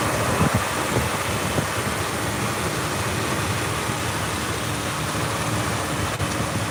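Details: 2003 Jeep Wrangler 4.0L six, engine bay, AC running: steady even idle under constant fan and air-conditioning whoosh, no knocks or misses; normal idle.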